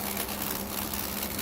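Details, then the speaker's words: Shark ION RV850 robot vacuum: steady hum with rough gritty grinding and clicking from the main brush drive, worse on rug like a gear slipping; owner suspects belt or main brush motor, or something stuck. "might just be something stuck but when it's on the rug it's definitely more of a grinding like the year is slipping"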